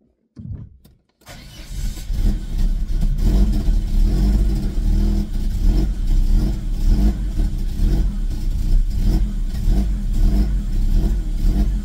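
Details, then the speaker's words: Car fitted with a swapped immobilizer-delete (unlock) ECU that may hold original EPROM software: engine catches after short crank, then surges and sags unevenly, won't hold idle; owner suspects software mismatch due to car's eccentric (cam) mod, unconfirmed. "Tabii rölantide duramıyor. Saçmalama gitti. Bırakalım. Rölantide duramıyor."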